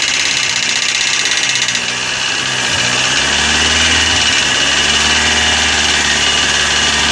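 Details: Corsa engine idling with a bright, fast, fairly even top-end ticking over the hum, from hydraulic lifters slow to pump up because of a dirty oil pickup in the sump.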